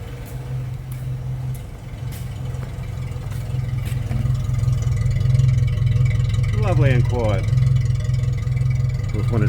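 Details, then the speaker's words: Restored Suzuki Maruti Sierra (Samurai) small engine, cold idle with choke out, heard from the rear: a quiet, even tailpipe hum with no puffing or rattles. It shakes a bit when cold, and mushroom-head rubber mounts were used; normal. "cold it's going to shake around a bit. And that's why I used the mushroom heads on the rubber mount rods."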